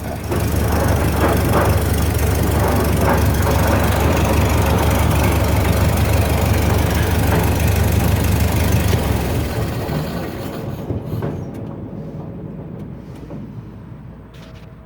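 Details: 1929 Ford Model A pickup on jacks, running in gear: loud, heavy rumbling racket with rough knocking near three per second, fading as it coasts down and audible even after shutoff; owner suspects damaged rear axle gears, not confirmed.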